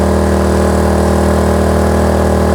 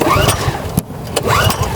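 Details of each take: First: Kraft&Dele KD681 3000 W inverter generator with 2 kW heater load applied: sound changes as engine revs rise, then hold steady with a firm low hum; normal running under load. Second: Kraft&Dele KD681 3000W inverter petrol generator, first cold start: repeated recoil pulls rasp and whirr but it never fires. The choke was accidentally left open, because this model's choke closes to the right rather than the left.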